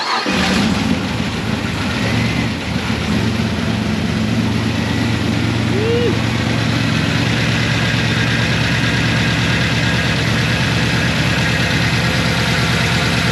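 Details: L98 V8-swapped Toyota Landcruiser 80 Series with oversized cam, first start before tuning and dyno: fires straight up into a loud, lumpy, choppy idle that stays steady; healthy normal idle.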